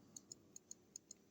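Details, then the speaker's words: Elgin pocket watch bought on eBay as a non-runner with a broken balance staff, now ticking after modifications. Crisp, even ticks at about five a second in a quiet room: the watch runs normally. "it was listed as a non Runner um as you can see it's his ticking uh but I had to make some modifications to get it like that"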